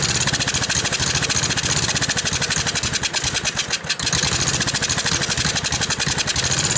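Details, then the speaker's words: Gravely tractor after sitting, brand-new Chinese eBay carburetor, new battery, ethanol-treated fuel: choppy uneven firing, stumbles midway then recovers; owner suspects fuel delivery fault, fuel pump not pumping or debris; poor running. "Alright, so I got it running, but obviously there's a problem in the fuel delivery somehow. Either the fuel pump isn't pumping, or there's some trash in there or something."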